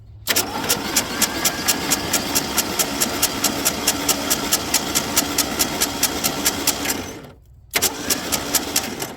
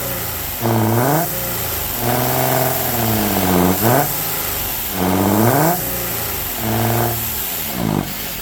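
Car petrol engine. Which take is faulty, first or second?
second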